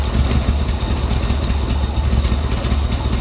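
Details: Flood-damaged Corvette from a Florida storm: loud, unsteady idle that surges and stumbles, rumble rising and sagging; owner unsure whether timing, fuel, or wrong plug wires, hopes the fuel injectors clean up.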